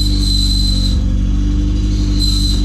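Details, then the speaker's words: 1990 Honda CRX Si with a newly installed DOHC ZC engine, first start, rough running: a thin high squeal comes and goes in short bursts over a steady idle; traced to the clutch release bearing, transmission to be pulled. "Oh, there's that squeak. Oh, it's probably like a release bearing maybe? I don't know what that is. Oh man, it's awful."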